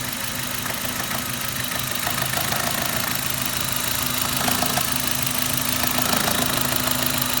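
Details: Suzuki Ignis with M13A petrol engine idling with a sharp, fairly regular knock about three times a second over the hum; foreign knock inside the engine, source still unknown.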